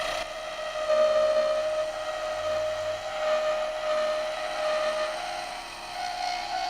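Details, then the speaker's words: Turning a thin cherry hair pin on the lathe with a skew chisel: a steady high hum with slightly wavering pitch under the cutting noise. The thin spindle is vibrating at its unsupported center; the noise changes near the more stable end. "Right there, that humming is the vibration from the center."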